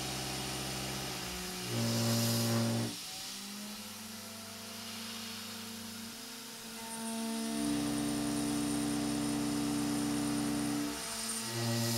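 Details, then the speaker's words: Avid CNC Benchtop Pro router, 2.2kW spindle, A36 mild steel while raising spindle RPM and feed rate: whine shifting pitch with ringing tones during cuts; chatter eases slightly at higher speed but remains. "This testing went on for a little while and it started to sound passable towards the end, but not great by any means."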